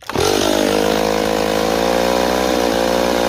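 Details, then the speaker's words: Stihl 028 chainsaw, idle turned way up: fires up and revs high, pitch wanders and surges; unstable running, owner suspects an air leak between carburetor and intake boot rather than crankshaft seals. "hink we have an air leak, and my theory is it's going to be right between the carburetor and the intake boot, because the way it's acting, I know these fucking 028s."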